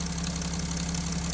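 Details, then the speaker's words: Mercedes Sprinter OM642 diesel idle: fast, light knocking starts when PWM duty changes from 36% to 37% and high-pressure pump output falls; no noise at high pump output; knock in high-pressure pump drive. "И начался вот этот шум. И производительность тоже уменьшилась. То есть, меняется скважинность, что мы имеем."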